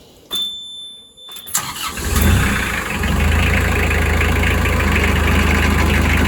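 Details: Narrowboat diesel brought in with a noisy drive plate, before the plate is changed. Catches and settles into a steady idle with an uneven rattly chatter underneath; rattle at idle from the drive plate.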